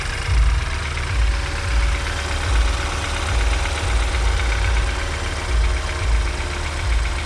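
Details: BMW N20 cold start after new oil pump and timing; cold idle with low uneven drone and faint buzz pulsing about every two seconds, owner suspects oil pump or balance shaft, unconfirmed.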